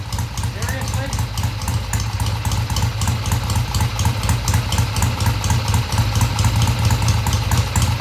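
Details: 1971 Triumph T120 650cc twin after pilot mixture screws tweaked about an eighth turn: steady, even idle with a firm low beat, no stumbles or misses, comes off idle smoothly.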